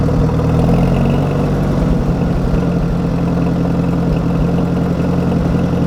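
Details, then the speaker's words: 1961 Oliver 550 tractor after cleaning and adjusting its Marvel Schebler carburettor, old gas still in the tank: a low, fairly even idle thump around three and a half beats a second, slightly uneven but steady. It now takes throttle decently. "done a little more playing around with this seem like I've got an idle down a little bit more and uh little adjusting seems like I get it to take throttle decently"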